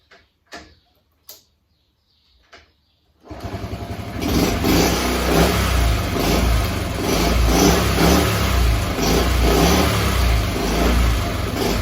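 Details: Honda Chaly CF50 two-stroke, restarted after long storage with oil changed, carb cleaned and electrics hopefully fixed, catches after a few kicks and settles into a steady buzz with light revs; runs cleanly and evenly.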